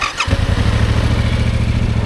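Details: Motorcycle (R7) started in neutral after pressing the kill switch to on and the ignition button: brief starter whirr, catches at once, settles into a steady even low thrum; normal engine start.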